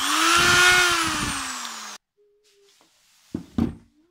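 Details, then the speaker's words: Electric drill after repairing bearing that spun in housing using shim ring, burnt cord found: smooth even motor whine swelling then fading on spin-down, no rubbing or scraping; stator doesn't rub, drill runs normally. "статер не трёт всё чётко так благодаря проводу Мы ещё спасли пока нашу дрель ещё послужит"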